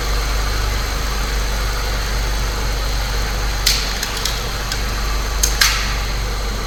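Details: Saab 9-3 Turbo, believed a 2005, idling after spark plug replacement to fix a slight misfire, camera on top of the engine while the cover is refitted; steady low idle hum with light clicks, no stumble or miss.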